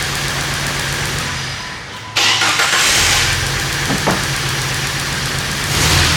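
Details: 1998 Jeep Wrangler 4.0L inline-six that sputtered and died when accelerating, spark and injector signal confirmed: rough running drops away, then a sharp crank and catch; repeated start-then-stall.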